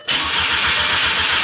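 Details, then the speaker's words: Crank-no-start on an MK6 GTI with its replacement engine just installed: the starter churns evenly at about seven pulses a second but never catches. The battery isn't losing charge, and an ECU swap was planned next. "Come on. Fire. It's not like I'm losing juice from the battery."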